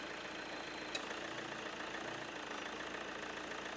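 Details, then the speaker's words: Chevrolet Cruze diesel after belt replacement, started with AC on before air filter bolted down: quiet, even idle with no rumble or brrr from the belt and pulleys; the earlier alarming brrr sound is gone, normal idle. "അപ്പൊ നമ്മൾ ആ പേടിപ്പെടുത്തുന്ന ബ്രൂർ എന്നുള്ള sound മാറിയിരിക്കുകയാണ്"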